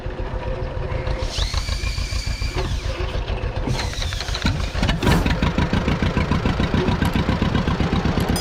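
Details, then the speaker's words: 83-year-old John Deere B sitting 20 years with a stuck engine, first start after freeing it, oil pressure up, fuel on, no cooling system; low uneven chuffing about three and a half beats a second under clatter; it runs. "he's a runner awesome we got a lot more to do this thing but the fact that it runs that just makes me so happy"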